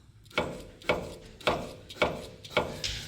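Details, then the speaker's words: Toyota 4Runner front strut with collapsed lower rubber bushing: sharp metallic knock about every half second as the wheel is rocked, bolt knocking metal on metal; same wear on both sides. "you hear that metal knock the rubber bushing is so bad that the bolt is basically knocking metal on metal"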